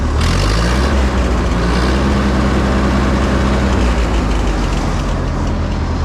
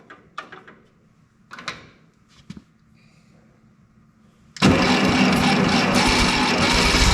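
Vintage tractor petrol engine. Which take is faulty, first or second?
second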